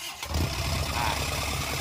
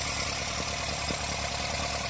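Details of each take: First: Isuzu NHR55 (4JB1) diesel, unused for a long time, started by wiring the injection-pump solenoid and starter straight to the battery, radiator not fitted. It cranks and catches into a lumpy, uneven idle. A leaking or maladjusted valve. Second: Isuzu NHR55 4JB1 diesel idling briefly, radiator not fitted, after valve clearance adjustment: steady idle with bright valve-train clatter; hard starting caused by leaking valves from too-tight clearance.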